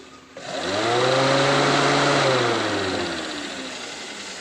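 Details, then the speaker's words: Honda Freed with a red overheat warning light, radiator fan motor powered directly to test: spins up to a steady whirring hum with rushing air, holds even pitch, then slowly winds down; the fan still works, normal running. "Ternyata kipasnya masih bisa berputar ya. Tuh, berarti kipasnya aman ini, paling minta"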